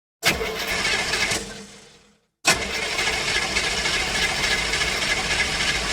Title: Car Engine Fail - Cranks No Start